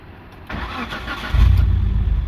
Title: Mitsubishi Lancer 2004, hard starting engine usually on cold morning. and this is what we did.